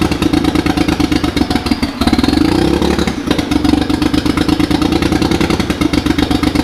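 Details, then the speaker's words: Mitsubishi 3000GT VR4 twin-turbo 6G72 DOHC V6, first start-up of new engine: fast, choppy, lumpy idle that stumbles under a blip, not firing cleanly on all cylinders; owner suspects misfire from something unplugged, cause unconfirmed. "Why is it running like such dog? It's like running like something's not plugged in, right? It's running like something's misfiring."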